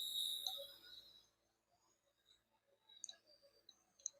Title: LPG cylinder leak issue #fixitnow